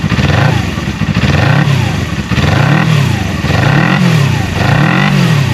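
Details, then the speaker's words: 1980 Suzuki GS250T twin after carburetor, air box and filter cleaning, oil change and plug service, started fresh for the first time that day: even idle with clean, smooth throttle blips and no stumbling; normal idle and revving. "Yeah, she sounds good. She runs good."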